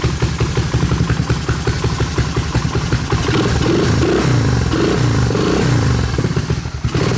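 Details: 1986 Honda ATC250ES Big Red, 250cc four-stroke, after sitting 5 years, first run after the carburetor was installed, from a remote fuel tank with the choke on. A low, slightly choppy single-cylinder putter that fires consistently: normal idle.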